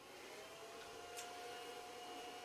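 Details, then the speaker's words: External SCSI disk enclosure connected to a Power Mac running OS 9, switched on: steady high-pitched whine over airy fan hiss, even and unchanging; spinning normally, just annoyingly loud. "all right so let's turn on that annoyingly loud disk system"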